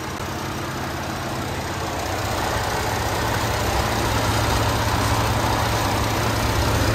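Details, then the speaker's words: Ford 3.5 EcoBoost idling after rear turbo coolant feed fitting replacement, burning off leaked coolant: steady low idle with faint, fairly regular fast chatter; owner hears the PCV valve chattering and plans to replace it. "And I can also hear the PVC valve chattering, so I need to change that bad boy out too."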